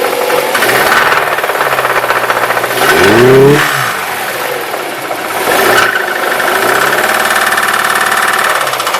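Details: Engine knocks from a cold start, then mellows out and knocks again when throttle is applied: knocking and tapping over the idle persists after a rev and drop back. Cause unknown.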